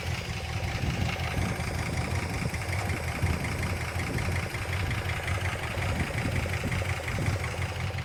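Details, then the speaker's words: 1962 Dodge Custom 880 V8, after fixing miswired coil, bad distributor cap and points: steady, fairly even low rumble at idle with no heavy knocking; not running badly, no problems seen. "as soon as that was fixed I literally turned the key and the car fired right up and it's not running crazy bad or a I don't really see any problems"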